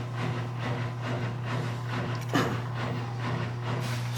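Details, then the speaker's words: Miele W1623 Novotronic washer after carbon brush module replacement for F53 error (previously filled then stayed silent): steady motor hum with even water swish about twice a second, draining and spinning normally on drain-and-spin test. "when you see one a spin you all need you know what's fixed because it was not a spinning at all"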